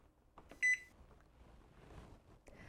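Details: Zojirushi Home Bakery Mini BB-HAC10 with the cookie/pasta dough key selected: one short, clear beep as the start/reset key is pressed and the dough cycle begins.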